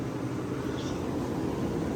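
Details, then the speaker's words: Vintage Westinghouse 10,000 BTU window A/C; even, smooth steady fan and compressor hum, no rattles, knocks or squeals; smooth runner, works pretty well, normal running. "but anyhow yeah it's a smooth runner uh i think for 20 uh 40 bucks it's not too bad i got a pretty good deal on it and it works pretty well"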